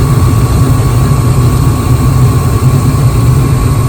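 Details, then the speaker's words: Gas furnace that was blowing cold air, after breaker reset: steady deep roar of burner flames and even hum, no pops or surging; normal burner operation. "With everything reassembled, we can hear the blowers working down here. We can hear the flames, and if you look through the cracks, you can actually see the blue flames."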